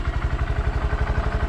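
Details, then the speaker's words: 2020 Honda Grom at idle on the stock factory exhaust, before fitting an aftermarket exhaust: soft, even low putter, steady and very quiet with no knocks or ticks; owner finds it too quiet for the road. Healthy idle. "Honestly, too quiet. This bike's really small to have a quiet exhaust being on the road."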